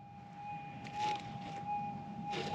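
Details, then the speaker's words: Minelab GPX 6000 metal detector set for difficult ground with the threshold on: steady, clean mid-pitched hum under brief handling rustles; a stable threshold, the detector behaving normally. "i highly suggest you hunt with a threshold you can hear better as you can hear the machines nice and stable"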